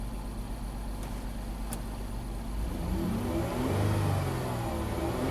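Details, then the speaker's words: 2011 Dodge Grand Caravan with 3.6L Pentastar V6, 146k miles, rough despite a tune-up: the warm idle is lumpy with an irregular stumble. A slight misfire is suspected to come from low compression. "Yeah, it's definitely shaking, like it has a slight misfire. That screams to me has to do with compression."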